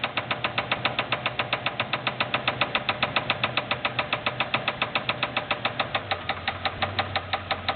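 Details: Buick Roadmaster LT1 V8 with a sharp, hard knock about six a second over the idle when put in gear, briefly dropping out in a dead zone; suspected spun rod bearing and piston hitting the head, not confirmed.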